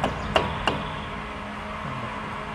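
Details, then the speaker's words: 2007-2008 Toyota Corolla flex, front left wheel removed: two sharp metallic knocks as the brake caliper is rocked by hand, from a slide pin that may be worn or lacking lubrication; brake caliper knock from worn, dry slide pin. "agora ele começou a fazer barulho nem pode ser por desgaste ou por falta de lubrificação"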